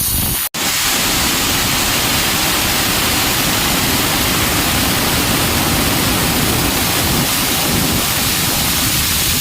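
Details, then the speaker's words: Air compressor tank being emptied through a fully open valve until the pressure gauge reads zero, before testing the pressure switch cut-out; loud, steady rushing hiss of constant pitch; air release. "ये अभी pressure हमारा release कर चुके हैं, पूरा valve खुला हुआ है।"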